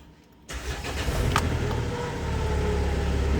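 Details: Mitsubishi Montero diesel after new EGR valve and motor fitted (failed turbo background), check engine light still to be reset: catches and settles into steady, even idle with the earlier whistle gone; normal start and idle.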